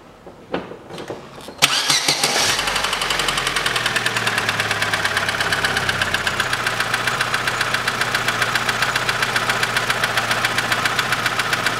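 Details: Chevrolet Lanos 2006, 1.5 petrol, manual, FWD, 342,000 km: after the start, a fast, even tick of three to four per second rides over the idle from one valve. Valve train tapping, found to be a poor-quality, worn rocker arm.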